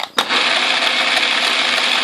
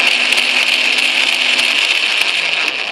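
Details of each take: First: Atlas QC42 lathe gearbox mid-repair, change gears engaged on a test run while noise is being chased, at least one gear still to fix: dense, crumbly rattle with steady gritty chatter; tumbler gears have too much lash and wobble. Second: Atlas/Craftsman QC42 lathe gearbox test run in forward after gear play adjustment, during work to eliminate gear-train noise: steady high gear whine, stops about two seconds, restarts; even tone, no knocking or grinding.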